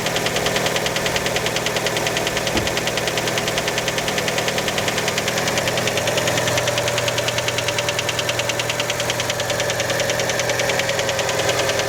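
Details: Fiat Panda just after a cold start: sharp, even knocking about three times a second over a steady idle; many suspect piston skirt slap, source not confirmed; engine knock on cold start.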